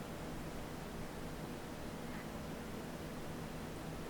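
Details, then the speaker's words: Razer Blade 15 laptop (RZ09-02705) on its first boot after a DIY motherboard replacement: soft, steady airy hiss from the cooling fan spinning up, judged normal, with no rattle or whine. The laptop then appears to boot-loop. "oh yep that noise was normal there it goes"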